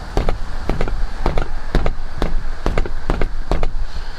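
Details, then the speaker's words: Seat rattle in a 2016 F-150 Lariat 5.0 V8, about 14 months old. Sharp hollow clacks about twice a second as the seat is struck, each trailed by a loose plastic buzz from a piece inside the seat. It also rattles over road bumps; first blamed on the headrest. Exact cause unconfirmed. "I've determined that it's actually in the seat. And it doesn't just do it when you hit it, because obviously I would never hear it. When you hit a bump going down the road, it makes that rattle."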